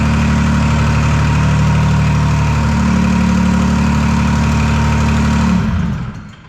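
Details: Detroit 3-53 two-stroke diesel after 25 years idle; reversed camshaft corrected, open exhaust. Steady, even idle at about 220 beats a minute before shutting down. Sounds healthy.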